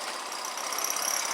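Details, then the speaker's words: Grom clone single-cylinder motorcycle at idle: thin steady high squeak over the engine from the exhaust shaking at a joint where the pipe comes apart, likely previously straight-piped; exhaust rattle. "Hear that squeak? I don't even know what that is. Oh, it's exhaust. The exhaust is just shaking."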